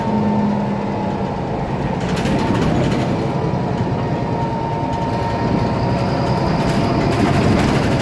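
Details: IETT Mercedes-Benz Citaro O530 city bus M2368, 2007, OM906LA Euro 3 turbo diesel, ZF Ecomat 6HP502C automatic, driving: thin steady whistle above the diesel drone with loose rattling underneath; faulty turbo whine plus noisy loose part.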